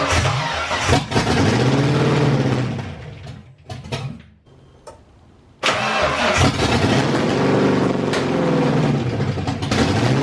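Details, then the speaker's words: SN95 Mustang V8 with aftermarket bigger fuel rails and injectors, first start in months, heavy smoke, plugs soaked in gas: lumpy, uneven running, falls almost silent, then catches roughly. Owner suspects wrong fuel pressure flooding the engine. "it's soaked in gas so I think what's happening is because of the bigger fuel rails and injectors and all that and I'm probably running the wrong fuel pressure the car is dumping so much gas in there that it can barely run and then eventually it dies because it just drowns out the plugs"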